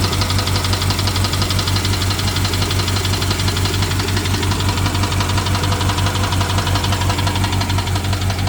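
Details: BMW 750Li N63 V8 at idle after fuel injector and high-pressure fuel pump replacement: loud, even fast ticking over deep, rough idle; ticking with misfire, owner suspects timing chain.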